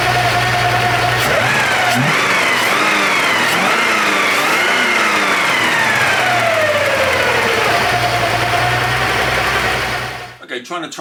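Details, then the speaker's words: Porsche 928 V8 idling with all auxiliary belts removed: thin, steady whine over the idle, unchanged without belts; loose oil pump pulley rubbing the timing cover. "to track down this whining noise so I've stripped off all the belts run the engine no change"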